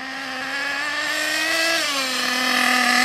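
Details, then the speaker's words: Ansmann Virus 2.0 Big Block RC car with a .28 nitro engine on its first drive after run-in, part throttle: a high buzzing note whose pitch swells and sags unevenly and sounds blubbery. The fuel-air mixture is too rich and needs tuning. "as you can tell it does need loads of tuning on it still with regards to the fuel air mixture"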